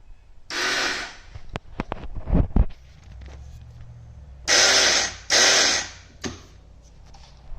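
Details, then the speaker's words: 2008 Honda TRX450R electric start with the key on and clutch in: two short bursts of high, free-spinning starter whir without turning the engine. Either the starter clutch or the reduction gear has failed; the reduction gear is suspected. "basically what has happened is number one either the starter clutch has went out or number two there's a reducer gear that then turns the starter clutch has gone out and i think that that is the problem"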